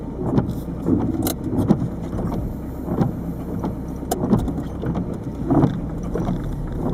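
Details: 1998 Peugeot 306 turbo diesel, over 160,000 miles, pulling off in 1st or accelerating in 2nd/3rd: uneven heavy clunks and rattles, irregular; owner suspects worn lower engine mount bushing, exhaust clamp checked, source unclear.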